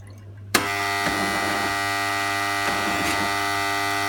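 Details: Jura Impressa S70 coffee machine: loud steady motor hum with a sharp start and a few clunks over a tonal drone, too noisy for normal grinding or brewing; cause unclear.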